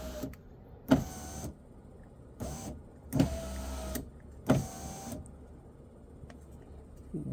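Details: 2012 Kia Sportage after cleaning carbon burn marks from the window switch contacts: several short, even motor whirs about a second each, starting and stopping cleanly with no grinding; the window works normally.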